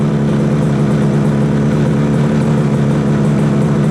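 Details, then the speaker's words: 1968 Yamaha YAS1C 125 two-stroke twin after timing check and carb synchronizing, warming up (about 104 and 124 on each side): smooth even idle, both cylinders firing steadily, light background rattle; sounding much better. "I got a lot of stuff rattling here. Satisfied that'll calm down after I take it out and ride it. I think this is sounding a lot better. The response is so much better."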